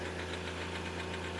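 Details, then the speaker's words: Hyundai Xcent diesel, 1.1/1.2 L replacement engine, smoking: after a blip of throttle the rpm hangs high with a steady rapid knock about seven beats a second and turbo noise; cause unknown. "एक बार भाई accelerator देते ना हम तो RPM इसका फंस रहा है देखो ये लो छोड़ दिया मैंने रेस"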